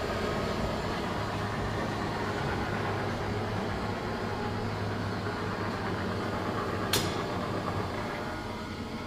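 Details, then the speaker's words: Old Monarch shop lathe after repair and cleaning, test run after the belt and clutch covers were refitted: steady even hum with no knocking or banging; normal running. "All right, don't hear nothing banging. I think we're good."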